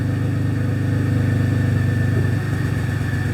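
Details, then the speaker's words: Possibly 2006–2008 Pontiac G6 (complaint: runs rough, check engine lights, antifreeze smell) idling during a scan-tool cylinder power balance test: steady, even rumble with slight pitch dips as each injector is cut, so all injectors are working. "we know that we're getting all of our injectors working check all of the injectors pretty cool"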